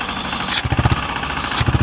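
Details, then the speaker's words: KTM Duke 390 after engine repair including rings, previously noisy around 4000-5000 rpm: steady single-cylinder idle with two throttle blips, no knock or rattle, now quiet; normal idle. "बिल्कुल silent हो गई है। और यहां भी आप check कर सकते हैं। पहले क्या हो रहा था? 4000 आरपीएम के बीच में एक साउंड आ रहा था। तो बिल्कुल साइलेंट हो चुकी है। कोई आवाज नहीं है इसमें।"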